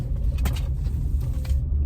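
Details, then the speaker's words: 2006 Acura MDX turning in circles at low to mid speed: deep grinding rumble from under the rear, none when driving straight at 10 mph. Suspected breakdown of rear differential fluid; a fluid service is planned. "When you're cruising, going anywhere from like low to like mid speeds and making a turn, you can hear a grinding noise."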